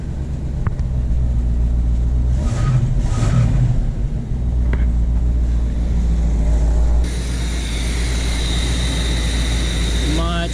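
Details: 1975 Chevy C10 V8 with factory Quadrajet carb, after fixing a high warm idle of about 1600 rpm caused by disturbed secondary throttle blades, vacuum hoses plugged off: low steady rumble settling to an even normal idle, no hunting or surging.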